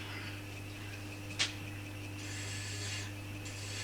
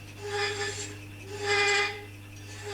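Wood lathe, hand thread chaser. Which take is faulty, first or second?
second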